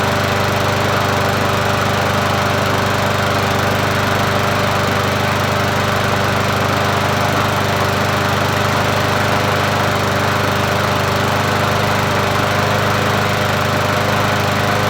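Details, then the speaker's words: Murray 20-inch push mower, 4.0 HP (20415x8D), found free: small single-cylinder engine runs steady and even for fifteen seconds with no misses or knocks, then shuts off cleanly. "Sounds good for me. Let's try it again. Sounds good."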